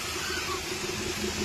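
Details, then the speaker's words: Hyundai Accent petrol idling with random/multiple cylinder misfire (cylinders 2 and 4), pickup loss despite new coil, plugs and cleaned sensor: a steady airy hiss over a low hum; engine fails to stall when blocked, as intake manifold gasket leaks air. "गाड़ी बंद नहीं हो रही है। मेनीफोल्ड से हवा leak कर रहा है। ये इसके लिए प्रॉब्लम आ रहा है।"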